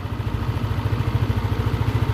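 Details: Yamaha Lexi 125 that ran low on oil and ran rough and smoky from a worn piston, after repair, with a steady, even, low idle of about eleven pulses a second and no knock or rattle; a little smoke remains from the wet exhaust. Normal idle.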